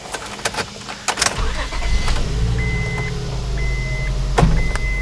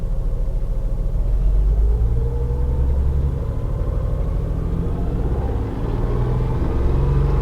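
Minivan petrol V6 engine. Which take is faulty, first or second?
second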